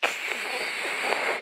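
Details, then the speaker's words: Bicycle disc brakes during bed-in after sanding and cleaning pads and rotors: about 75% braking for three-second pulls alternating front and rear without stopping; steady hissing scrape for about a second and a half, then stops; normal bed-in noise. "and like sid said this is maybe 75 percent breaking power you want to hear it going"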